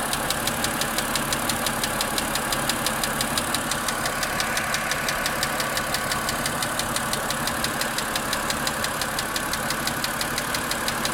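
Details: Car engine ticking at idle about three light knocks a second, on second start on a cloudy chilly day; increases with throttle, disappears after 15–20 minutes, intermittent; cause unknown.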